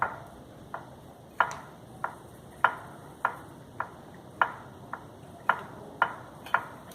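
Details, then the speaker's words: Shock absorber worked by hand to its stop: sharp metallic knocks, about eleven in seven seconds, metal on metal at the limiter. "esse aqui no caso está fazendo barulho de ferro com o ferro"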